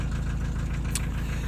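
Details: Diesel at idle with an intermittent knock, hot or cold. Owner first suspected a turning valve shim, adjusted the valves, then wondered about piston pin or rings; knock persists: steady hollow knocking in time with the engine over heavy rumble, piston slap.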